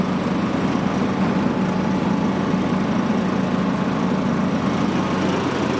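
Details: John Deere LA115 riding mower after reattaching the deck bracket and refitting belt and deck: smooth even speed, steady low drone, no knocks or misses; runs great and deck works.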